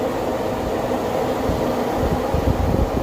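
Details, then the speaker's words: R32 Skyline (RB engine) with newly fitted 12-inch dual electric fans in slim shroud, replacing a fan clutch that hit the intercooler pipe, wired straight to power and ground: steady, even rushing hum with no ticking or scraping, fan blowing normally. "so the fan is blowing"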